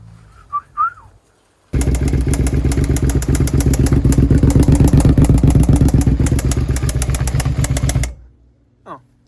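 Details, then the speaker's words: Suzuki SV650 V-twin, stolen-recovered non-runner: crisp even ticking about four a second over a steady idle, top-end tapping the owner suspects is a valve. Sound somewhat better than when bought; it then stalls. "i definitely feel like it's one of these valves"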